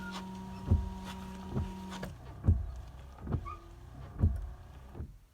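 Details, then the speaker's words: Toyota Celica washer pump, key turned on: under clunks and handling noise a brief steady electric whir from the pump, which is located under the passenger side behind the tank; pump works normally. "we go and you can hear the pump at the end"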